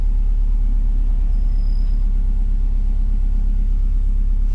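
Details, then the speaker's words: Subaru Bugeye WRX just after swapping in a Deatschwerks 200 fuel pump, hoping to fix a running issue: deep even idle rumble with a steady low beat, no knocking or missing; slight pump hum heard, no leaks. "fuel hasn't gone anywhere there's a slight little hum coming from there so that means it's doing its thing"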